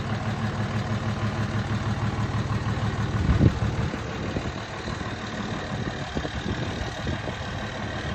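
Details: 2003 Dodge 3500 dually 6-speed 5.9 Cummins with replaced short block (previous engine reportedly run out of oil): steady deep idle rumble, even beat, no knocking or misfire; healthy.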